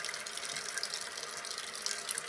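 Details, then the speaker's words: Toilet tank refilling with newly installed Fluidmaster fill valve after adjusting the float-level knob; water rises and shuts off about two to three inches below the handle: steady hiss without gurgle or sputter, clean even refill. "let's just see where it comes now I mean as you can see it's moving up and it stopped right there"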